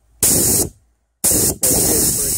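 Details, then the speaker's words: 4L60E transmission solenoid from a 2003 VY Commodore 3.8 L V6 stuck in limp mode, bench tested with air pressure after flushing: air hisses in clean, sharp bursts, starting and stopping crisply as the solenoid clicks; working properly. "you can hear this one will actually even work click without the air pressure with the air pressure"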